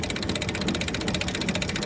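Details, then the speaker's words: Antique Farmall tractor just shut off after plowing: a fast, even ratcheting tick, roughly a dozen a second, as the implement spins down; the PTO overrun clutch is freewheeling normally. "i shut the tractor off you can hear that overrun clutch clicking i think you can hear it"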